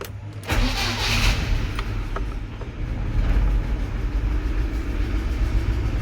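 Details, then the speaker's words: UMZ-4216 Evotech 2.7 Euro 4, 129,000 km: rough start then uneven idle with sharp irregular pops and ticking, cylinders 1 and 4 misfiring; likely cylinder 1 intake valve seat, firing back into the intake manifold. Valve seat knock with intake backfire. "это у нас первый цилиндр скорее всего седло впускного клапана потому что стреляет во впускной коллектор стреляет 2 вкусные коллектора и цокает короче и двигатель троит"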